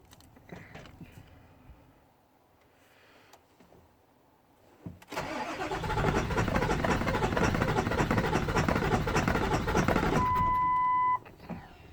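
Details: 7.3 engine cranking at about three even beats a second for six seconds without catching, then a beep; cranks but won't start.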